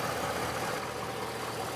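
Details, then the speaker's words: 2006 Chevrolet Silverado Z71 with aluminum-block V8: steady, even idle with smooth low rumble, no knocks or ticks; healthy. "she's a purring little kitten"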